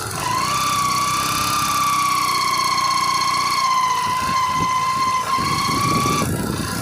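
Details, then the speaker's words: Old-model Yamaha Crux, test ride: steady engine run with a sustained high gear whine holding pitch; engine sound changed while driving, traced to a worn primary drive gear (GPD pinion) behind the clutch cover. "को हमने test drive लेकर आए हैं और आप देखेंगे किस तरह से इंजन का साउंड ए रहा है आने का साउंड ए रहा है"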